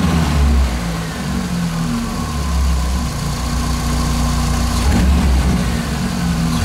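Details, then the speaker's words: Engine idling over 10 minutes after diesel-fuel oil flush for hydraulic lifter knock: steady even smooth low drone, no top-end ticking; lifter knock appears gone, valve train quiet. "уже прошло больше 10 мин двигатель стал работать он не справа он тоже спасательные работы гидриков уже вроде бы пропал он не появляется работает над на"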